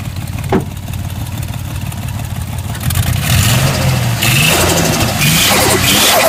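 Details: Nissan RB25DET turbo six idles roughly, then revs with a fast ticking clatter rising with engine speed; stuck valves or an exhaust leak suspected, unconfirmed.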